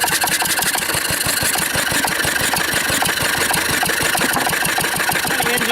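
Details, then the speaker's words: 1940s Wolseley single-cylinder stationary engine, first run in over four years, flat-belt driving a cement mixer, with some fuel leaking: slow, even thumping about three beats a second with no misses; normal running. "all right sitting here running like a perfect gentleman like I say"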